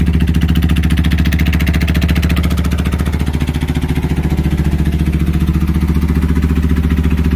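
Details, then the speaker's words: 1992 Suzuki 1400cc motorcycle after carb cleaning, air box off, new battery: deep, even throb with steady firing, no misses or knocks; healthy normal running. "sounds healthy to me pulling on that gas pretty quick"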